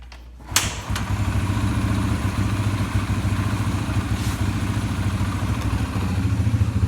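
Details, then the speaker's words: Flood-damaged, previously locked-up Yamaha TTR 125 after freeing up, float slightly adjusted and fuel debris suspected; single cylinder thumps at a steady, even idle with no stumbling: running clean. "the bike seems to be doing really good especially considering is it under water at one point so we'll fire it up and uh it seems to run a little bit better too"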